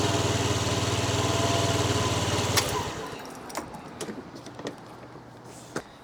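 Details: Old Honda Dio 50cc scooter after battery replacement (previously only clicked; kickstart worked): small engine putters at an even, steady idle for a few seconds, then shuts off; starts and runs normally.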